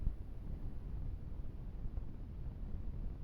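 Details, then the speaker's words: Huawei P30 Pro recording video in a completely silent room: constant low rumbling noise with scattered sharp crackles from the phone's recording path; authorized service reflashed software and called it normal for this model. "wystarczy lekko podgłośnić wideo, aby usłyszeć, jak mocno zaszumiony jest dźwięk. Występują jakieś trzaski."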